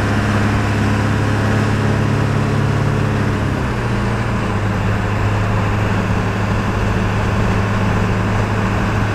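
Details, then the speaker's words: 2000 Ford F250 7.3 Powerstroke diesel on a test drive with the windows down, after replacing the front hub and bearing assembly: steady low drone under way with even clatter and a smooth pitch shift, no knocks or misses; the engine sounds healthy. "So you guys get to listen to a good old 7.3."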